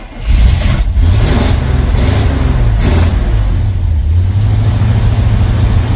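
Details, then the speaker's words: 1982 Chevy K10 V8 that sat nearly 5 years, just after it spat back through the intake (firing order correct). It catches quickly and settles into an even, steady rumble firing on all 8. Normal idle; oil pressure good. "Okay, so now it wants to run. And it's running smooth. Very smooth. Oh yeah, we're firing on all 8."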